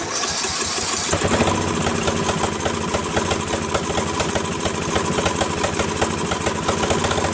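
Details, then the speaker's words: Craftsman 13.5HP mid-engine riding mower replacement engine after fitting new flywheel key: rapid firing with occasional sharp pops and slight hunting, runs a little better but still backfires and surges; governor reset gave no change, owner suspects carburetor. "this one was off the original runs a little better but it still backfires a little and still surgeon"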